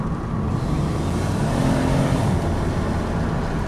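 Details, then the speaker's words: 2003 Pontiac Grand Am GT driving after front pads, rotors and a bad brake caliper were replaced: only even road and engine rumble, no grinding, scraping or rubbing. Earlier vibration is gone; front brakes are in perfect working order. "i love this car but more importantly it stops and also more importantly it doesn't shake there's no more vibration so now the front brakes are in perfect working order and i'm very happy about that"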